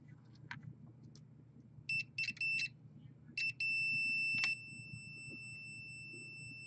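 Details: Modem-router combo suspected in a lightning surge that killed a PS4: meter gives a few short high chirps then one steady high beep over a faint hum, showing continuity between data lines that should be isolated, a short.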